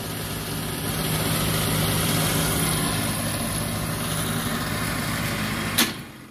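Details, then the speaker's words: Trane 6-ton package unit during preventive maintenance, inducer reassembled and running: steady rough motor drone with uneven rattly hum; ignition works but the inducer motor is bad and needs replacing ASAP. "I'm sure you can hear that it still sounds like garbage but at least we'll be able to see if everything else fires up and we do have ignition so it does work but we do need to replace that inducer ASAP"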